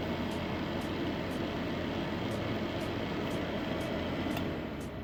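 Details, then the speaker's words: Luxell hot/warm/cool fan heater with adjustable fan speed running normally: a constant airy whoosh with a faint light tick about four times a second; works fine, only drawback is loud fan noise. "But the only disadvantage is the noise, the fan noise."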